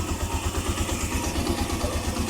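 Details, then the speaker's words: Suzuki Mola single-cylinder motorcycle after repair for a top-end tick that appeared once warm, with a new timing chain fitted and the original tensioner kept: even low thump at about twelve beats per second, no tick from the top end. Normal idle. "So ayos na mga ka-OT. Tumahik nga ung lagitiki."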